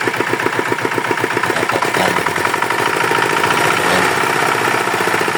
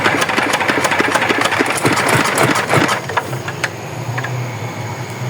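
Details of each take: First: Yanmar DX tractor with a Chinese single-cylinder diesel, repaired after reportedly seizing from low oil: an even, steady chugging idle with no knock or misses. It runs normally. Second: Yanmar DX tractor with a Chinese R175-type diesel, seized after running short of oil; compression is present. It chugs with a loose, heavy knock about three times a second, then dies; connecting-rod bearing damage suspected.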